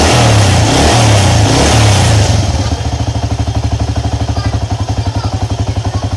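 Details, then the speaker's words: Honda EX5 Dream engine, after a quick rev, idles with a harsh, even thump about four times a second; loud knock suspected from a loose flywheel (magnet) nut or loose cam timing sprocket screws. "Gimana masalah engine ini bunyi kasar dan bunyinya itu memang cukup keras juga lah punya dia itu"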